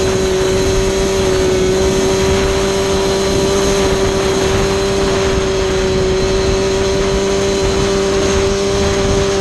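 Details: Yamaha Banshee held at about half throttle for a midrange plug chop: buzzy, uneven, nasty flutter that won't clear until given more throttle; owner thinks it is running rich, needle setting under test.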